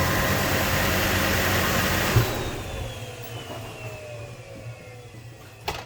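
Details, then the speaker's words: 2009 Hummer H3T 3.7L I5, microphone pointed at the belt tensioner, at start-up: harsh rough whirring that fades within a couple of seconds as idle settles; worn tensioner and idler chattering, to be replaced with serpentine belt. "so that horrible sound is uh one of the things we're going to be replacing"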